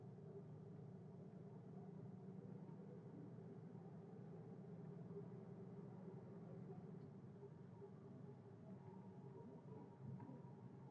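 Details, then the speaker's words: 1973 Chevrolet Chevelle V8 after the firing order was corrected (previously rough and backfiring): quiet, steady low rumble at idle with an even beat and no misses; fires cleanly. "you can just hear how much happier the engine is now that it's firing correctly"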